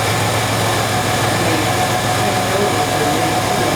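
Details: 1995 Chevy Astro 4.3L after fixing no-start with no fuel pressure (new fuel pump already fitted): steady, even idle with no misses, stumbles or knocks.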